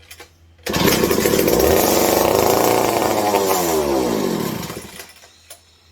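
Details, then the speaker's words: McCulloch 740 chainsaw after ignition fix (coil gap, Nova chip) and carb swap, throttle sticking slightly open: catches, revs fast, crisp even two-stroke buzz; firing cleanly, running healthy. "Definitely ignition. Likes that Nova chip. I was doubting it there for a second. She wasn't firing over. But she sounds real healthy."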